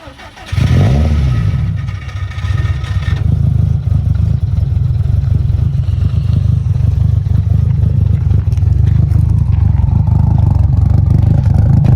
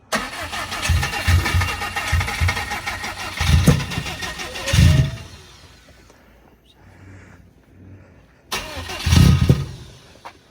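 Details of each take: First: 1000 hp turbocharged engine build at first startup: deep, steady idle with an uneven loping beat, roughly three to four lumps a second, plus a faint whistle from the blow-off valve cracking; healthy engine with lumpy Kelford cams. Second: Newly built 1000 hp turbo engine at first start-up: starter cranks in steady bursts, stops and cranks again without firing; crank-no-start, crank sensor checked and found plugged in.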